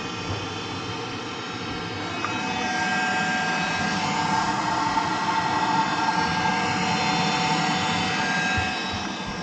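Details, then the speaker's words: Gas boiler during service, new electrodes fitted, pressure topped up, reset with gas valve open: fan spins to a steady rush but no ignition or burner roar. No spark; PCB control board not powering electrodes, needs replacement board. "that's telling me we've got a board issue because the board's not sending the power to the electrons in order for them to spark and that's where the problem is"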